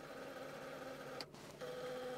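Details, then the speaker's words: 1994 Mercedes SL320 (R129, 3.2 L M104 inline-six, 59,000 miles, one owner) power rear-view mirror adjusting: small motor whirs with steady hum, pauses, runs again smoothly; normal mirror motor operation. "going to adjust with that sound of motor working that's cool"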